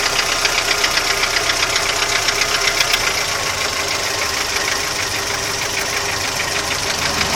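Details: Audi 80 engine knock: a sharp, steady metallic tapping about four times a second rides over the idle, and its source is not yet pinned down.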